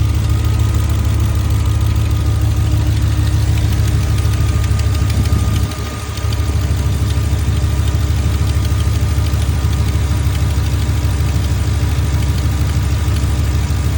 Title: Lifter tick? July 18, 2025